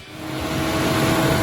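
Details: 2011 Chevy Cruze, after replacing valve cover with integrated PCV valve that caused a loud squeaking engine noise: smooth steady idle hum with even low tone, no ticking or whistle; noise gone.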